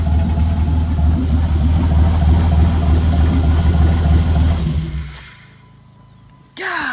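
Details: Dodge Dakota idling after its first start in five years following fuel pump replacement; deep, even rumble at a steady idle with no knocks or misses, then fades, running smoothly.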